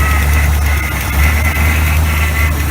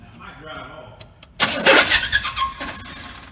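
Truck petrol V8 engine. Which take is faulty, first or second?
second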